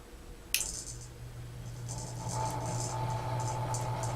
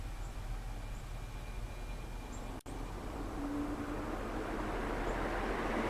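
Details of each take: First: Vintage 36-inch Emerson Casablanca friction drive ceiling fan, new in box, first power-up before wall speed control installed: motor hum spinning up with light irregular ticking rattle; owner suspects loose canopy; rattle on start-up. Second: Crompton Greaves ceiling fan, final run before removal: soft airy whoosh building as it spins up, no ticking, rubbing or wobble; normal ceiling fan running.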